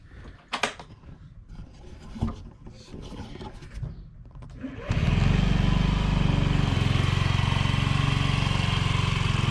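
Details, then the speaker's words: 2009 Honda Metropolitan scooter after replacing the loudly clicking, failing fuel pump and the fuel filter with OEM parts; the engine catches and settles into a steady, even idle with no clicking; running healthy. "No loud clicking, annoying sound, or hearing the fuel pump like it's getting ready to go out."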